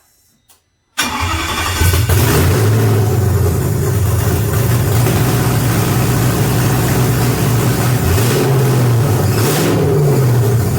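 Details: BMW E46 with M62TU B44 V8 swap, first start after fitting serpentine belt, harmonic balancer and alternator, with fuel and oil pressure confirmed: cranks and catches within a second, smooth even V8 idle with clean blips; runs healthy.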